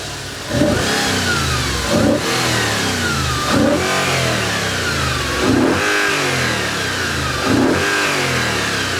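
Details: Audi RS4 4.2L V8 at 150,000 miles, just after its first carbon clean and new injectors: five quick throttle blips that rise and fall cleanly with no hesitation, noticeably crisper response.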